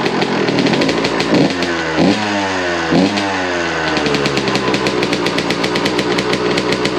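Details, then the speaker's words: 2001 Suzuki RM125 two-stroke after repacking the slip-on exhaust, under a carport with echo. Crisp ringing bark climbing and falling through sharp throttle blips, no hollow drone as before packing. Normal exhaust note. "man that sounds a lot better sounds ten times better he's trying to idle too now"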